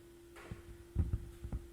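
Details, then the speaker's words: Pioneer SX-1980 stereo receiver on phono 1 input: low steady hum from the speakers broken by dull irregular pops, worsening the longer it is on, on phono 1 and 2; owner suspects failing transistors or capacitors in the phono section, unconfirmed. "so we've got and it was a lot the longer I leave it on the more it'll start popping and making noises um failing transistors uh capacitors something like that in the phono section does it on phone one and two"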